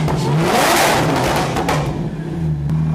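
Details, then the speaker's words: Megane 3 RS with compressor, exhaust without silencers, throttle blips: loud crisp revs rising and falling cleanly with no misses or rattles; healthy engine. "Bon on va vous faire écouter un petit peu, il va mettre quelques coups de gaz."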